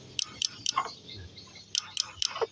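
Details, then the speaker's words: Honda Vario 110 / Beat scooter with new battery, about 11.4 V dropping to 10 V on cranking: two bursts of three sharp clicks with no cranking; starter relay in the CDI weak or failed, not the battery. "di relaynya ini teman-teman hanya bunyi cetk-cek ya bergetar itu teman-teman ya"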